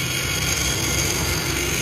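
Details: Victor fan, large 11-inch model, not spinning due to stiff shaft; steady droning hum with dry, rough moaning groan from worn, loose shaft bushing; fix is replacing bushing with bearings.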